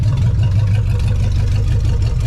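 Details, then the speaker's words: 1975 Chevy Nova first running in 35 years, after fuel line and oil change work: warm after about five minutes, a steady, even low rumble at about 1000 rpm with 30 psi oil pressure, idle settled lower than when cold; normal warm idle. "so now as you can hear she's idling mint listen to that bad boy so that's awesome that is much better she's idling exactly where she wants to be she was up a little bit higher before but now she's knocked down because it's warmed up"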